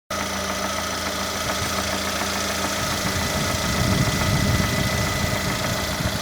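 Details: Lada Granta with the 127 engine at hot idle: an uneven knock under the engine note grows heavier partway through; the knock occurs when hot, and the source has not yet been found while the owner awaits the dealer.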